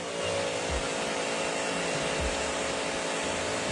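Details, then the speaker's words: Sun Joe SPX3000 electric pressure washer (14.5 A motor, 2030 PSI max): a steady motor hum with a dull thump about every three-quarters of a second after rapid triggering; the pump pulses and stays at real low pressure. "Real fast. Real low pressure."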